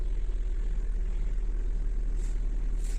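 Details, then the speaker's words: Hyundai Getz after a new timing belt, fuel pump and filter, spark plugs and an LPG reducer rebuild. Started on petrol once the system pressurised, it idles low, steady and even with no misses or knocks. The owner wonders why the pump seems to run only while cranking. "все працює"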